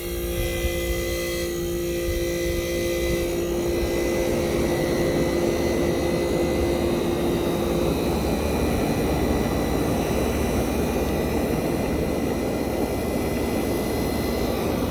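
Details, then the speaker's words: 1965 Fedders Weatherwheel air conditioner switched to high cool, heard near the Tecumseh AJM compressor as it starts. A loud, gruff "mean" hum whose tone drops away after several seconds into a smooth rush; a normal, healthy startup, cooling quickly. "So it sounds mean when starting. This is some mean sounding Tecumseh AJM compressors."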